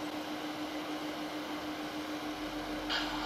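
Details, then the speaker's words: LED96 WiFi projector from AliExpress, recorded with the camera right against it: a steady low hum with a soft airy whoosh, even and unchanging; the fan is not loud but noticeable, so it is advised not to place it overhead; normal cooling fan. "гудит Ну вот прям вот вплотную стоит к проектору поэтому прям вот гудение вам максимально слышно не сильно оно на самом деле раз ког будете его размещать учитывайте этот момент чтобы над головой он не был"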